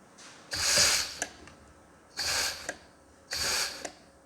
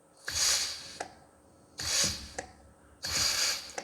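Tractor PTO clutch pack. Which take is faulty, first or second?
first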